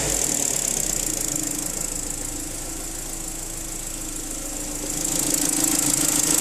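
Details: BMW N45 engine running: fast ticking knock with a high whistle above it, slightly louder as revs rise. Engine knock of unknown cause.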